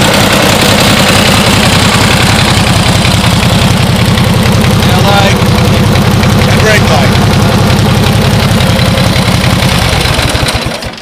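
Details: 1949 Harley-Davidson Panhead FL, first start after fuelling up: loping, uneven V-twin beat at about three to four pulses a second, steady and strong until shut-off; healthy idle.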